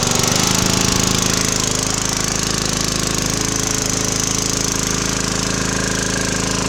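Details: Briggs & Stratton 2900 PSI pressure washer, brought in for hard starting, low power and running only on choke, started outdoors with the choke on after carb cleaning: the single cylinder buzzes at a steady, fast, even beat with no surging. Normal running.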